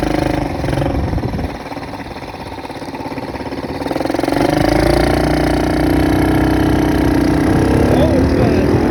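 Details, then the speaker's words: Kids' Chinese ATV on a test drive after warm-up, following a repair with a new carburetor: the small single putters, then revs up smoothly and holds a steady buzzing pull under load without missing. It runs fine. "is as you just saw this thing does run and it runs pretty well and it was fun and it's not the pretty is looking ATV but it works and it works pretty well if I do say so myself"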